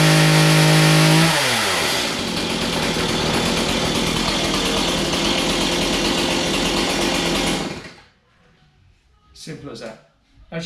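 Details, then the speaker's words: Stihl MS 180 petrol chainsaw on a cold start, switched from full choke to half choke: it fires high, then the pitch drops to a steady, even buzz during a 5–10 second warm-up. Normal running. "when i hear the pitch that's dropped and it's steady then i'm ready to rock and roll"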